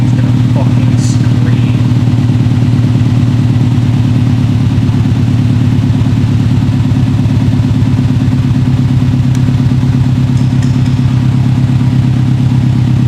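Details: 2012 Subaru STI idling with newly installed Invidia N1 race catback exhaust: deep, even burble with regular firing pulses, no ticking or puffing; exhaust sealed, healthy normal idle.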